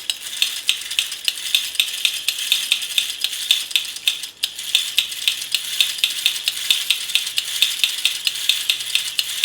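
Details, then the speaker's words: Restored James Bond tin toy car, motor running after new gears were fitted to fix a tight gear train: thin high buzz with quick even gear ticks, speeding up; the motor spins freely with no binding. "hear it speeding up. So I'm quite happy with that. So that's that motor working, long last."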